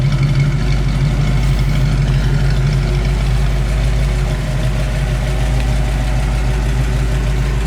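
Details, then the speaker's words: Original 289 4bbl A-code V8 in 1965 Ford Mustang coupe, automatic, dual exhaust, about 93,600 miles; deep even idle burble with steady low rumble through both pipes, no knocks or misses, a healthy small-block. "and we'll rev the car up a little bit so you can hear what this dual exhaust sounds like."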